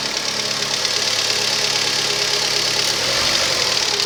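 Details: Rover 25 1.4 petrol, cold start: steady normal idle with light, fast metallic ticking from the hydraulic tappets, normal at this temperature; a faulty lambda (O2) sensor was later found causing a slight misfire.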